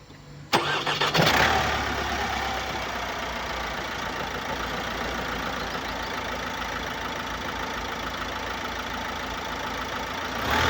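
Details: Opel Astra K 2018, 1.6 diesel B16DTH (81 kW/110 PS), 128,814 km: starts and idles steadily with a raspy hiss over diesel clatter, caused by an intake system leak and defective swirl flaps.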